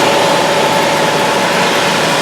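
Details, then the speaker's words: Mazda 5 on a hoist, drive wheels off the ground, running about 40 mph, listened with a stethoscope at each wheel: constant rough droning growl with faint steady tone; worn pressed-in front wheel bearing. "this one I can actually even feel the growling through it even without having the stethoscope on my ears"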